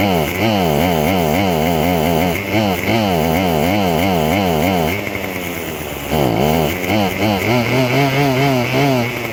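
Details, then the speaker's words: Craftsman WS2400 two-stroke pole saw, bought used from a pawn shop, starts but runs poorly; revs hunt up and down in quick waves instead of holding steady. Cause: stale fuel and carburetor mixture. "well that was a bit weird it didn't do this at the pawn shop so I'm going to try this again so you can see and hear what the pole saw does"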